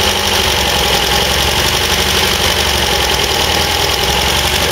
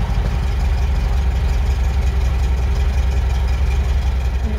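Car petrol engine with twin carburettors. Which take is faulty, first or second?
first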